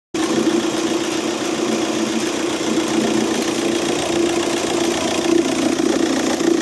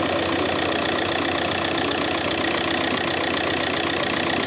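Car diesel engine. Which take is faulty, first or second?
first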